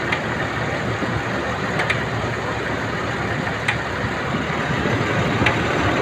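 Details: Nissan Elgrand engine at even idle with a sharp light tick every couple of seconds; something in the engine is ticking, source not yet pinned.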